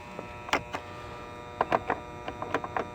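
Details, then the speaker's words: HVAC condenser unit with a domed 30/5 capacitor reading dead and a loud, chattering contactor. Steady electrical hum with scattered clicks, compressor not starting; the failed run capacitor was replaced. "I hear a little humming coming from the unit but that's about it so we'll take a look see what we got inside the control panel"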